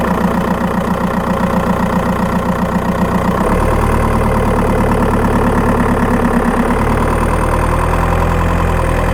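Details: Skoda Octavia 1.9 TDI PD, microphone in battery box while driving: diesel pulls with a busy, loosely rhythmic tick near four per second and faint high chirp once load comes on; cause not pinned down.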